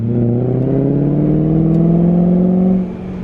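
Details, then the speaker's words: BMW E34 540i V8 driving on road after new ZF transmission fitted (old one was shot; new unit possibly overfilled): no transmission whine, deep V8 exhaust note rising under acceleration, slight backfiring and burbles; no exhaust leak. "no wine just beautiful v8 exhaust note and a little bit of backfiring oh my gosh i am so thrilled right now"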